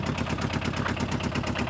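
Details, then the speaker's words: 2009–2011 Aixam Mega Multitruck, about eight years old, Kubota Japanese tractor-type diesel replaced after the original blew: rapid, even clatter at about nine beats a second at a steady idle; loud but normal. "so as you can hear it's quite noisy that's another thing that people don't really like hear it because they all have the same engine more or less this one has a clue go to Japanese tractor engine"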